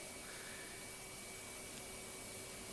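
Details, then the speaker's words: Cheap turbine brush head on a vacuum, compared fairly against a Dyson turbine head: even suction rush with a thin, steady whistle from the spinning brush roll; runs smoothly and normally. "I did do a fair test because that orange thing is actually a turbine head so the Dyson had a turbine head and that had a turbine head so I've done a fair test there alright so yeah look you can hear it going around"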